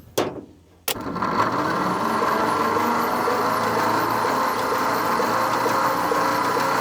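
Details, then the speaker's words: 1950 Nash Statesman engine, sitting 23 years and not seized, plugs out with lube in cylinders, cranked by an alternative method because the floor starter switch is seized; with ignition off no spark, starter spins it evenly with no grinding: normal cranking. "That sounds not too bad. Not hearing any sparky sparks, but that's not surprising."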